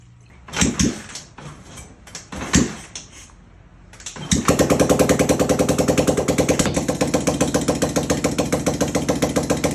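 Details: 1980 Honda XL500S, a basket project reassembled with the carburetor refitted, a new fuel line and filter, old tank gas and the choke connected: a couple of kick attempts, then it fires into an even single-cylinder thump about three or four beats a second; healthy idle.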